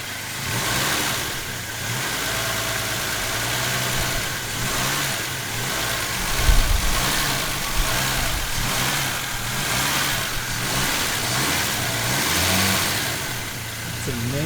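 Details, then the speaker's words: 1969 Volvo 164 freshly rebuilt engine at first start, ignition at 16° BTDC, revved up and down to seat the new rings: smooth waves of revs with no knocks or ticks; normal revving. "sounds so good she's so quiet up there that's amazing you gotta keep those rings in so i gotta keep revving it up and down a little bit"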